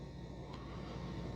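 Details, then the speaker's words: Dreame L40S Ultra CE robot vacuum and mop: steady, even low hum with no knocks or rattles as the wet mop pads spin; normal mop pad spinning. "See, now that there's some water down there, the mop pads are spinning more better. You can just hear them zzz, like normal."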